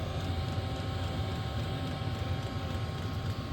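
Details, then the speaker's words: Diesel parking heater turned up to a 3.5–3.6 setting to check for smell: a deep steady rumble with a low fluttering burner note, no clicks or rattles. It is running normally. "Anyway, I'm not going to film all that for you, but like I just wanted to show you how the thing opens up and kind of what it sounds like while it's running and stuff."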